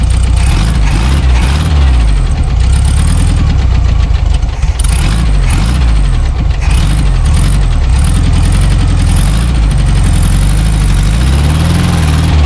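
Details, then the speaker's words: Abandoned 1974 VW Super Beetle air-cooled flat-four after tune-up with new points, condenser, rotor, cap, plug wires: starts, revs rise and fall smoothly with throttle blips, no misses; oil pressure present, generator charging. "yeah the generator light went off the oil light went off so we have oil pressure we have um our generator is charging"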